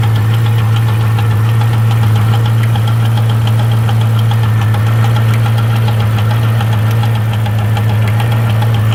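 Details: C5 Corvette Z06 V8 idling deep and steady with an uneven tick-knock that comes in threes; owner suspects valvetrain, cause unconfirmed.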